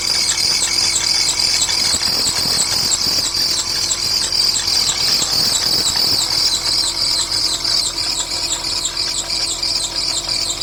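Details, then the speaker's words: Porsche Boxster 986, engine noise: sharp high chirp repeating about three times a second over a faint engine at startup; source not yet found; high-pitched chirping noise. "a Porsche Boxster 986 here with the engine noise. So today I'm going to just start it up and see where the noise coming from."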